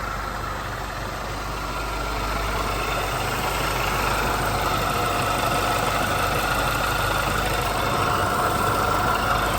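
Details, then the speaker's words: Idling used 121,000-mile engine, believed from a 2006 Mini Cooper S, with coolant temperature mid-gauge and oil light off. Steady idle with a regular light knock three or four per second from the A/C compressor, which has a hole in the bottom and probably no oil. "Only thing that's making noise is that air compressor because it's got a hole busted in the bottom of it, so you can hear everything running around in it, and it ain't got any oil in it now probably."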